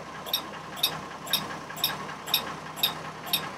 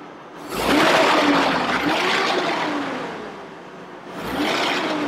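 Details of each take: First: 2002 Chevrolet Trailblazer, about 200,000 miles, electronic cooling fan clutch replaced the previous summer: sharp, bright clicks twice a second over a quiet idle; constant at idle, stopping when revved, and the fan may not be communicating with the computer. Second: 2002 Chevrolet Trailblazer, about 200,000 miles, after replacing the electronic fan clutch: two smooth rising rushes of fan roar as the engine is blipped, easing off, no clicking; healthy, no check engine light.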